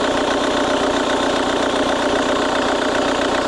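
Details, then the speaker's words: 2008 Jaguar X-Type 2.0 diesel after restoring power to the fuel pressure regulator, test lamp shining brightly: steady, even idle clatter with a smooth regular beat, no misses or hunting; normal diesel idle. "there the car is running or the engine is running properly now"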